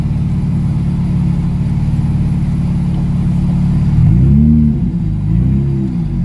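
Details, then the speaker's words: 2002 Nissan Maxima 6-speed after the HR engine swap, first test drive with the exhaust not yet fitted: very loud, raw, deep unmuffled drone rising as the car accelerates. "Alright guys, sounds like Saturday Night Street Talks in here. This is the first test drive. I'll see how it does. Forgot to put the exhaust on."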